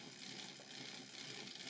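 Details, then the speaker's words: Dapol Pug model locomotive with newly fitted coreless motor on a rolling road, before adding weight and cabin, crawling from about 20 power: high-pitched raspy buzz with snatching rhythm; noisy running with slight cogging, motor or connecting rods suspected. "it is quite noisy so I wonder whether some of that noise will go away once we add a bit of weight and put the cabin all the extra bits on"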